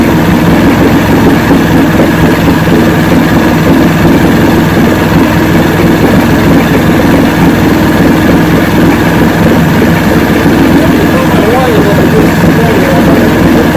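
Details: 1970 85hp Evinrude two-stroke outboard with hydroelectric shift, 50 years old, new water pump impeller, idling in neutral in a water container: loud steady even beat, no surging or dropouts; carburetors judged good at idle, full throttle untested.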